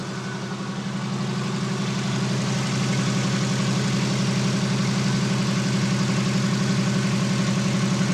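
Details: 1991 Volkswagen Westfalia with a Subaru engine conversion and stainless exhaust, idling: even low burble with a smooth regular pulse, no knocks or misses; idling healthily.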